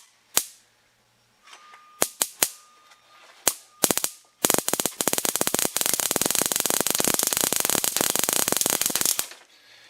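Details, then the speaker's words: Toyota distributor on the bench, spun by hand. Scattered snaps build to a fast, steady crackle; strong spark, proving spark can be made. "some pretty good spark coming out of that now I have proof of concept that I can get spark into one of these"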